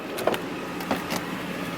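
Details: 1995 Mercedes S500 W140, seat adjusters: a short, smooth electric motor hum with a few light clicks as the seat moves; the power seat motor works normally.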